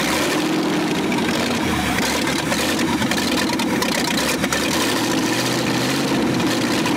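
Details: 1965 Ford F100 buried for over 50 years, first run with no exhaust and choke still unsorted: very loud, raw, crackling idle from open exhaust ports but steady even beat; V8 runs fine; normal idle.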